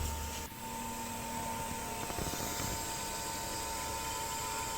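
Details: Household water pump motor after replacing a burnt capacitor, damaged by low-voltage running; even, steady hum with constant tone and no surging or labouring; running normally.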